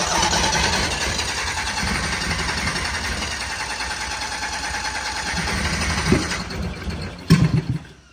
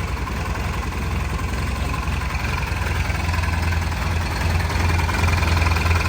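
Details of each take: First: 1972 Honda N600 two-cylinder converted to fuel injection, first start without wideband: rough uneven idle with occasional coughs back through the intake, mixture not yet tuned, likely lean. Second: First start of fuel-injected 1972 Honda N600 two-cylinder on an aftermarket ECU, factory fuel pressure regulator with return line, not yet tuned with wideband: steady, even low putter at idle with no knocks, misses or surging; normal healthy idle.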